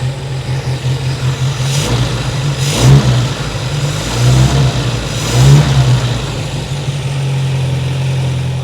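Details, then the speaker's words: 1960 Triumph TR3 twin carbs after idle lowered and balanced: revs rise unevenly with sharp pops and backfire under acceleration, lean stumble; carb dampers filled with red fluid, probably automatic transmission fluid, instead of proper oil. "but it doesn't accelerate very well at all. It wants to pop and backfire like it's going lean under acceleration."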